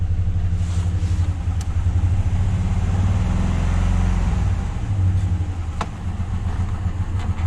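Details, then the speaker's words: Truck engine after reassembly, O2 sensor and intake cleaning; warning signals gone but a deep uneven knock taps a few beats per second, rising with revs; owner doubts fuel pressure is the cause; knock remains undiagnosed. "yeah but you hear the knocking yeah it's still knocking so that's it"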